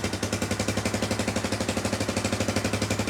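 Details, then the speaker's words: 1995 Yamaha Wolverine 350 ATV, no-start after a backfire, first start after replacing the bad spark plug with one from another Yamaha: fast even single-cylinder popping with sharp exhaust crack, fires right up; exhaust leak up front, possibly the head pipe. "all right let's try around now I bet it fires right up maybe not but I think it will oh yeah"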